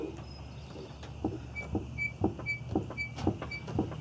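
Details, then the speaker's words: 2001 Volkswagen Jetta VR6, left rear body pushed by hand: dull thump about twice a second with a light squeak, left rear suspension knock of unknown cause; rear shocks to be removed and examined. "Now over here on the left side, we got kind of like, it sounds to me like a little bit of a thumping sound."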